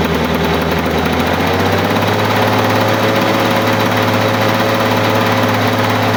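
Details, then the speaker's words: 1985 Lawn-Boy model 7350 two-stroke mower, sat outside for years, revived; loud steady burble at even speed with no misses or surging, engine runs healthy. "she sounds like a long boy girl that's pretty good"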